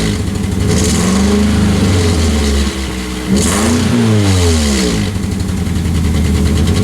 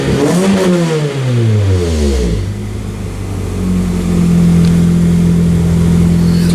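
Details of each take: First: 2003 Pontiac Vibe GT with coil-on-plug ignition and a misfire (P0303 code, cylinder 3), before repair; uneven, lumpy, loping idle through a couple of revs, muffler shaking, sounding like a Subaru, possibly from a failed ignition coil. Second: 2003 Pontiac Vibe GT after replacing the ignition coil and spark plugs and reconnecting the battery; revs drop and settle into a smooth, even idle with zero misfires across all four cylinders.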